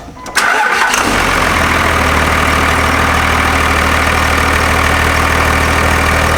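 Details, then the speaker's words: Second-gen Cummins diesel truck after replacing the faulty belt tensioner, AC compressor kept: engine cranks, catches within a second, settles to smooth even idle, no belt squeal or slap; belt issue appears solved. "so all right so i think we have our belt issue solved so it was the tensioner causing our problem"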